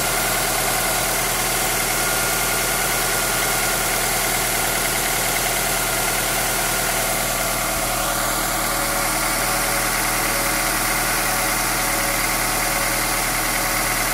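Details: 1998 Honda Accord EX 4-cylinder VTEC at idle: steady idle with an extra loose, uneven mechanical tapping riding over it; source can't be pinned down.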